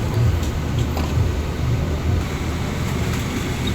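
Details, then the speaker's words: Single-needle sewing machine: low, steady motor hum but the machine won't run, jammed with thread packed on top and underneath; this can burn the motor. "Paandarin natin. Ayaw pa rin umandar."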